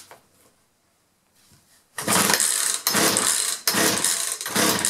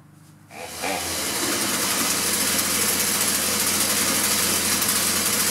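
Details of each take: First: 2-stroke chainsaw that starts for a second then quits, spark present, fuel lines previously reworked by the owner, choke on: engine catches and runs in rough bursts that die back, never holding steady; fuel starvation from misrouted fuel lines. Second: Two-stroke chainsaw that would start then quit, fixed by correcting reversed fuel lines (filter-carburetor-primer bulb-tank), choke on: catches after pause, steady high buzz, no stumbling — normal running.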